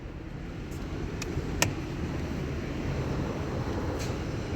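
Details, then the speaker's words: Toyota Camry Hybrid, driven over 200,000, code P030085 random multiple cylinder misfire: rough uneven idle with irregular low rumble and sharp ticks, blamed on a dirty injector; planned fix is injector cleaning and filter change. "एक word आ रहा है engine मिसfर का। इसका injector गंदा हो गया है।"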